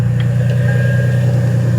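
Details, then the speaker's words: Lexus IS300 at normal idle after its fuel pump was hardwired through a relay, fuses and a switch panel to bypass the EFI. The pump primes and the engine starts right up, then holds a steady, even low hum with no misses or knocks. "We're not gonna have any burning wires and stuff like that. And the car runs and it's good."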